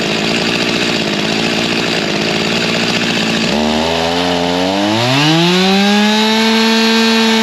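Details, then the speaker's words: G366 chainsaw after a big carb swap, tuned to about 13,200 rpm: rough, uneven burbling, then pitch drops and climbs back slowly and heavily. It bogs and makes no power at low speed despite revving; a major missed step was found later. "I was hoping to get this thing to run and actually make some power but even from that half pull we had as soon as it got to the low speed it was not liking anything you could hear it fall on his face made no power even though it was spinning RPM"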